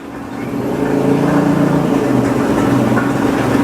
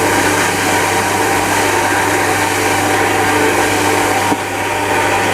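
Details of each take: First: Satelit 3-inch water pump fitted with automatic pressure control, still pushing water before the source runs dry: steady, even low hum with no knocking or rattling; pump running smoothly, not yet noisy dry running. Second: Shimizu Satelit 3-inch submersible pump with APC SC-015E as water runs out: steady harsh rushing whir growing noisier as water empties and flow weakens, running dry inside, until the APC shuts the pump off.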